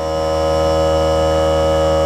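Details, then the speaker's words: Central Pneumatic (Harbor Freight) 3-gallon oilless air compressor, new, filling tank: steady, even, quiet motor hum with smooth buzz, no knocks or rattles; shuts off right at 100 psi as intended. Normal compressor running. "not bad at all guys really alrighty so the unit shut off as soon as it hit a hundred see that it's stuck at a hundred which is good that's exactly what it's supposed to do shut off right at a hundred"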